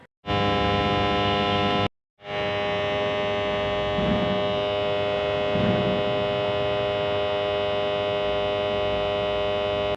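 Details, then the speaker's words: Distribution transformer's normal operating sound: steady electrical hum with a buzzy edge, one main cause being AC magnetizing the iron core. "শুনে অবশ্যই আপনারা বুঝতে পেরেছেন ট্রান্সফর্মারের এই humming sound হওয়ার প্রধানত তিনটি কারণ রয়েছে"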